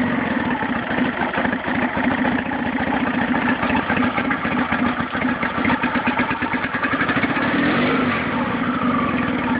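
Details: Nissan 9.8 outboard on its first start, on cold day, with choke on, started on the third pull and warming up, with uneven, lumpy idle and wavering loudness, idling a little low. Owner suspects it's not warmed up enough or needs off-idle adjustment. Rough idle.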